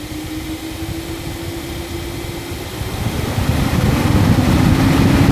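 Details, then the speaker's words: Nissan 370Z/G37/370GT IPDM auto active test, ignition on: after wipers, low/high beams and AC compressor, the radiator cooling fans switch on, a steady airy whir swelling about three seconds in and spinning evenly; normal cooling fan operation. "And then your cooling fans. So I'll try and get some light on for you, but no, you can't really see them."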